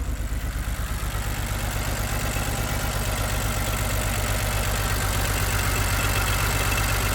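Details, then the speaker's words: Salvage 2007 BMW X3 with a manual gearbox at 194,000 km, harmonic balancer found off, now running on its own power: low, lumpy idle at about four beats a second with a huge misfire; the spark plugs are suspected. "It does have a pretty big misfire. I can't hear that. There's a huge misfire."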